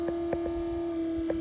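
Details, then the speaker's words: Small geared water pump in a 4x4 overland camper build, wired directly for testing, runs with a steady even mid-pitched hum, working hard filling the dry 40-litre water tank and pipework; normal pump running. "Pump is obviously working pretty hard. It's obviously filling up the this water tank."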